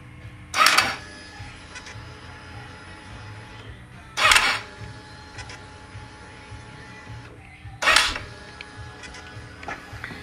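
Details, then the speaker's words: Kawasaki ER-6n motorcycle: three harsh whirring bursts on starter button, no catch; starter clutch (one-way starter clutch) slipping during starting. "aqui gente a placa da partida o nome técnico é embreagem um direcionada a partida né E ela tá deslizando na partida"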